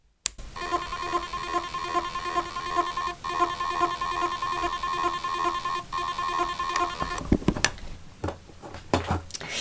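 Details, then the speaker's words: Laptop hard drive in an external enclosure: steady high whine with faint rhythmic ticking but no proper spin-up hum; trouble spinning up, failed motor possible but stuck heads more likely. "So, as you can hear, that does not sound very promising for our little hard drive. Now, to me, it sounds like it's having trouble spinning up."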